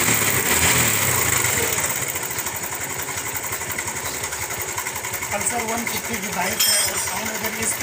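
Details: Bajaj Pulsar (owner calls it his 150) idling, with a fast, light metallic rattle of about three or four beats a second over the single; slack, worn timing chain rattle before chain replacement.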